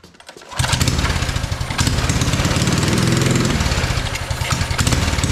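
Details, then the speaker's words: Free mini bike engine with good spark catches on sprayed brake cleaner, running ragged, surging and fading without settling; won't run on the fuel in it, owner suspects a fuel issue and plans to tune the carburetor. "so it does not want to run on the fuel that is in it clearly it's only running when I give it some brake cleaner here"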